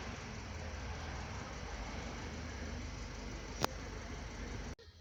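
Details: 2010 Subaru Liberty with intermittent crank-no-start, restarted successfully: quiet steady low idle hum, no misses or knocks, then cuts off; normal idle, ECU (chip IC 705) suspected for the no-start.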